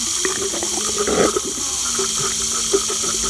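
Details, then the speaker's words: MBK 51 moped with a battery-wired Bosch 0 392 023 004 centrifugal water pump, which had to be tilted to prime: steady low hum with water gurgling and sloshing; now primed and circulating, though still moving some air. "Et là elle est amorcée. Si je l'arrête, elle me brasse de l'air quand même."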